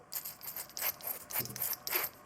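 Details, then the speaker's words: Stripped-down nitro RC car part, not yet cleaned or oiled, turned by hand. Short, dry rasping squeaks with each turn; it sounds dry and needs lubrication. "She sounds dry and squeaky. That needs a bit of lubrication in that."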